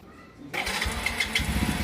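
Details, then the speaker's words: AKT Flex 125 single-cylinder motorcycle that bogged and lost power when accelerating, after the original CDI replaced a national CDI lacking correct ignition advance: it catches within half a second and settles into a steady idle, starting far more easily. "Como pueden ver, ya encendió mucho más fácil, no tuvimos que insistirle tanto."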